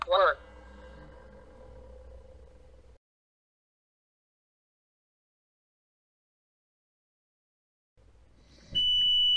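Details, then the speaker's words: Iveco Iris bus camper diesel heater on a bench-test power supply: a chirp, then a steady high beep as the unit speaks at start-up; it later says fan failure, and low power is suspected. "now that's something i'm not ever encountered the actual unit spoke to me so let's try again hmm that's really spooky let's try again"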